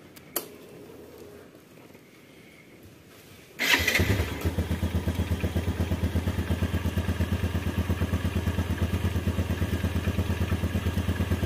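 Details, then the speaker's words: 2014 Yamaha Jupiter Z1 motorcycle, cold engine starting and idling: steady rattly kletek clatter that seemed internal but came from a clogged crankcase breather, before cleaning. "dengan keluhan kalau posisi mesin Masih dingin itu terdengar suara kletek kletek kletek kletek seperti itu ya"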